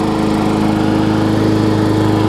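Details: New MTD push mower engine running after the two-piece handle was pulled out of its storage position, where it had pushed into the deck and jammed the blade. Smooth, steady drone, even firing, no rubbing or knocking: normal running.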